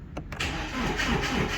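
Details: High-mileage BMW after replacing a burned fuse: fuel pump now working, no fault codes; brief crank, catches at once and settles into an even run with no misfire; a healthy start.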